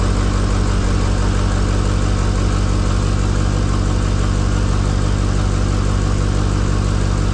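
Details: 2005 Ford F-350 6.0 diesel after installing a custom big side-exit exhaust: deep, even idle with a steady low rumble around four pulses a second, no misses or knocks; sounds healthy.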